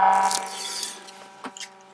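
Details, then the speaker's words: Range Rover L322 TDV8 climate control unit after cleaning the resistor area: thin whine with several steady tones over a soft whir; fan even noisier than before, suspected faulty control unit board. "Right, after all that, it's even now noisier. I'm sure you can hear that."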